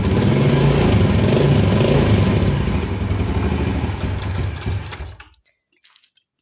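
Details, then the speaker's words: Yamaha Jupiter Z carbureted motorcycle after carburetor repair (bigger main jet, needle jet swapped): revs now climb smoothly as the throttle grip opens, no stumble or bog; normal throttle response. "OK, for the start of opening the hand grip, that doesn't happen"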